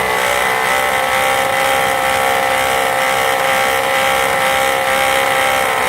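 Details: 2005 Volvo V70 at idle: steady whirring drone with rough, wavering edge from alternator clutch pulley that wobbles side to side; alternator internal bearing also found bad; alternator clutch pulley and bearing noise.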